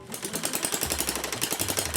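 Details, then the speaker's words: Homemade, originally 3D-printed single-cylinder gas engine with a two-stroke piston, oil leaking, exhaust pipe fitted; rapid, even popping about 9 firings a second, holding a decently high speed mostly without hiccups. "I'm actually really impressed it's able to maintain a decently High engine speed without any hiccups well mostly anyways"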